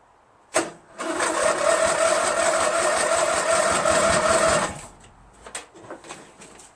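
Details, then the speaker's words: Craftsman LT1000 lawn tractor, freshly rebuilt Briggs 46 opposed-twin engine on first start with SAE30 break-in oil and both plugs sparking: slow, labored, uneven cranking that never catches. Dead, weak battery; owner also suspects fuel not getting in or bad gas. "Battery's dead. Battery's not strong enough to start. But I have a feeling that maybe gas is not getting in there, or that gas is so bad it won't ignite."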